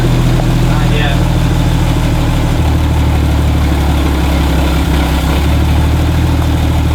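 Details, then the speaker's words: 1972 Toyota Land Cruiser FJ40 petrol engine, carbureted, just started after about 40 years sitting: low, heavy, lumpy uneven idle, already smoothing as it warms. Rough running. "once we put some heat into it we'll try to blow the cobwebs down that carburetor it's already smoothing out though yeah it is"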